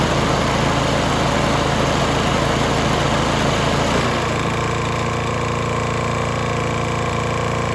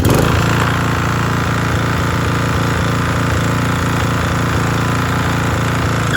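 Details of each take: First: Toro Timemaster mower, bought as "locked up" but actually a sticking belt, fresh gas, key start: the small single-cylinder engine runs with a steady, even patter, then drops to a smoother, lower idle; starts and runs fine. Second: Toro TimeMaster mower, said to be locked up, running after a new spark plug, blade belt worn with a replacement ordered: steady speed with a fast, light clatter over the exhaust beat; extra mechanical noise, source unclear.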